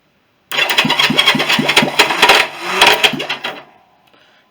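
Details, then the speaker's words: Honda CB350 after engine rebuild, compression test (120–140): cranking chugs about twice a second with harsh scraping screech from starter; starter clutch slipping on weak, wrong springs. "Yeah, that starter isn't actually still not working that great. I think I might have to replace that. You can hear it, that horrible screech noise. That is the starter."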